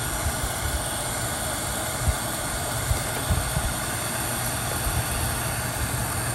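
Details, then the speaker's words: Vintage Raychem Thermogun Model 750 heat gun, about 25 years in use, after rewiring its crumbling power cord and straightening crooked fan blades suspected of an earlier noise: steady airy rush, low even hum, no rattles or scraping; running healthy. "so I kind of bent them back into shape and that might be the ca that may have been the cause of that sound that we had but we are ready to go back into service for"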